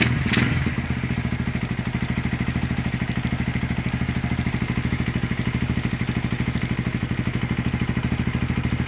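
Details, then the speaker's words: Honda GL100 (GLK 100) single-cylinder engine with CDI fitted: it fires up and settles into an even thump of about three beats a second with no knocks or misses. Running normally. "Oke, itu dia hasil E peremajaan mesin Honda GL 100 CDA ya dari Palembang."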